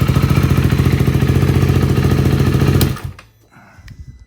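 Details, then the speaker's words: 2023 KTM 390 Adventure single-cylinder with newly installed inexpensive aftermarket exhaust, decibel killer still in: even steady idle with deep exhaust note until shut-off, moderately loud, not too loud or quiet; healthy running. "a nice sound. It's not too loud, it's not too quiet. You know, I don't like a super loud bike in the first place."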